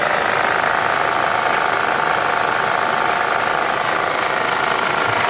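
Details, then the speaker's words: Mercedes M111 engine idling: fast even rattle about three beats a second, seeming to come from the valve cover, actually from a worn alternator-belt damper, not the valvetrain or timing chain. "это демпфер жители меня но не только у него 2 уходит такое ощущение что отсюда звук"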